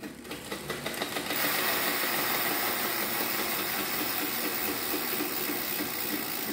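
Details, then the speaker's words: Bicycle wheel with a rim dented from many impacts, bulge sticking out; fast uneven scraping rub pulsing each revolution as the rim catches the brake pad when pedaled, before straightening the rim. "si escucha como suena porque padeció porque el ring ha sufrido muchos golpes abolladuras las cuales se salieron y hacen que una especie de montaña de tripita se salga y pegue contra la la zapata"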